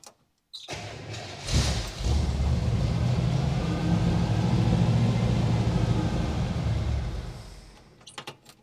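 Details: 1964 Chevrolet Bel Air with a replacement 350 small-block V8, sat for years, after new spark plug wires and a couple of gas pumps: cranks briefly, catches within a second and settles into a deep, steady, even idle; sounds healthy.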